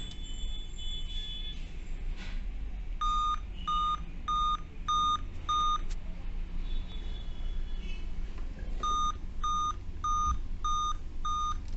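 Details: Dell Vostro 2520 laptop (DV15 MLK motherboard 11280-1) gives five short high beeps repeating continuously at power-on even with date and time set correctly; a five-beep POST error, attributed to the RTC section / PCH RTC in the chipset.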